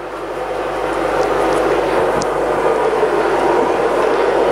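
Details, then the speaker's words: Coofix CF-MMA-250 IGBT inverter welder (250 A, 220–240 V) with auto idle, after welding: loud steady airy cooling fan running full speed, no ticking or grinding; normal, later slows to idle after about 5 minutes. "ini kondisinya sekarang lagi hidup kan, terdengar dari suaranya ini sedang full dia hidupnya."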